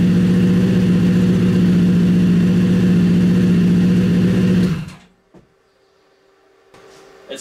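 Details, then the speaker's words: Freshly rebuilt Honda CBR 1000 engine in a buggy after cylinder damage, first run back in the frame, headers smoking off WD-40: even, steady idle with no misses or knocks, idling stronger and smoother than before the rebuild. "yeah this thing sounds stronger it sounds like it's idling better it sounds like it's running better"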